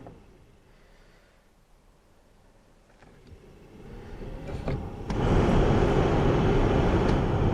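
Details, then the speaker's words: Abandoned Jaguar XJR-S with about 103,800 km, first battery connection, ignition on: quiet, then steady airy blower rush stepping up twice in loudness through all three fan speeds; heater blower works. "Okay, it has all 3 fan speeds, so that's really good."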